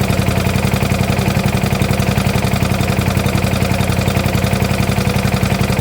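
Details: 1972 Gravely 816 with Kohler Command 18, running after carb modification: heavy steady low knock about three to four a second over rough idle, possibly a rod. Motor judged pretty much blown up, likely why parked; power steering not working.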